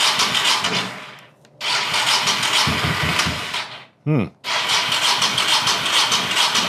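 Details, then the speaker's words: 1985 Honda VT1100 Shadow with sidecar, hurricane-swamped and neglected, on stale fuel with aftermarket fuel pump; oil pressure good, no water in crankcase: starter churns in long bursts but engine never fires, crank no-start, bad fuel suspected. "Well, I don't think there's any sense screwing with this anymore. pretty much expected is what he said it was doing before when he tried to start it."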